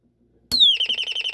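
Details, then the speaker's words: Royal smoke, gas and fire alarm, estimated late 1970s–1980s, speaker-driven (not piezo or electromechanical), switched on: sharp high sweep down, then fast warbling chirp about eight times a second, like a flock of birds; working. "now you can hear that that's pretty cool sounds like a flock of birds"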